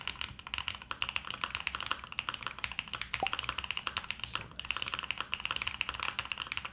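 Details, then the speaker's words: Pre-built LuminKey75 keyboard, stock switches of unknown type: crisp, even clacks from rapid typing with no stabilizer rattle or ping; really good for a pre-built, normal typing sound. "that's not bad for a pre-built like that's honestly really good"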